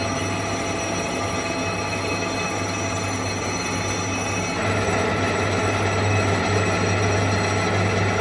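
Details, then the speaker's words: Toyota Corolla E150 1.6 VVT-i front brake disc being skimmed to remove the worn edge lip instead of replacing the discs. Constant motor hum under a high metallic cutting tone, steady, with normal machining. "І щоб не міняти самі тормозні диски, бо вони дуже дорого коштують, їх можна проточити, тобто зняти отут трошечки кайомочки, щоб не скрипіли і і зробити з них як новенькі ще поїздять. Ось так іде проточка дисків."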